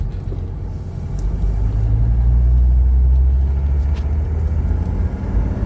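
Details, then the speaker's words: 1980 Mercedes 300SD diesel, warmed up, AC on, about 70,789 on the odometer, after a fresh valve adjustment; steady deep rumble under way, rising and easing smoothly, no knocks or misses; healthy running. "oh this runs it's running so good with the fresh valve adjustment I could tell immediately just minor changes on a valve adjustment you can feel a noticeable difference"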